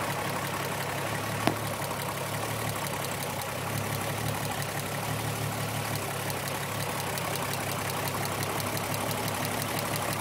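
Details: Engine idle with a regular stumble and uneven puffing beat that keeps repeating; tricky misfire persisting after a new coil pack, plug and injectors, with the wires ohm-tested; cause not yet found.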